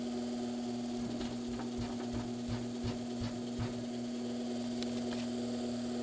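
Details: GE W22 plastic-bladed box fan, earlier buzzing on low speed from a loose shaded-pole coil; after repair, running without the blade (no load) with a smooth, steady low hum, no buzz or rattle. Motor now sounds normal.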